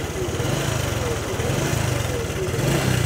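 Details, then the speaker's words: Honda Future 125 idling with a loud metallic chatter like rubbing; a failed cam chain tensioner left so late that the cylinder is scored and the engine must be rebuilt; the engine is then opened to show the tensioner. "Thì khi các bạn nghe mà cái tiếng giống giày mà nó nhỏ hơn chút xíu hay là có tiếng xè đó thì các bạn nên đi kiểm tra cần lng cam các bạn đi đừng để quá trễ như xe này cái trường hợp xe này ở đây"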